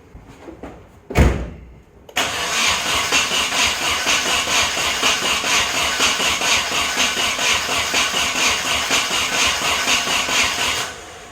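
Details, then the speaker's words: Nissan 240SX first start attempts: starter spins the engine steadily at about two even pulses a second for nine seconds and it never catches; cranks without starting, no spark with the coil left unplugged. "doesn't even want it I gotta check if I'm getting spark yeah that spark plug is at least firing so why won't you start"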